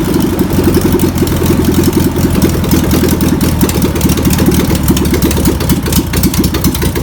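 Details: Air-cooled flat-four in a VW pressed-bumper-panel bus stored over 50 years runs on its own after penetrating spray and fuel are added, holding a steady, even rough idle with no knocks. Owner suspects a bad fuel pump. Deemed a runner.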